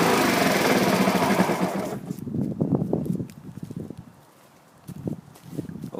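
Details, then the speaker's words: 2012 Honda HRR2169VYA mower, 161cc, contaminated fuel, stuck-open intake valve freed, blade engaged: loud steady drone, no surging or stumbling; pulls load evenly and runs smoother under load, though self-propel rear drive does not engage. "it seems to be running better under a load i engaged the blade to see what it would do it seemed to smooth out"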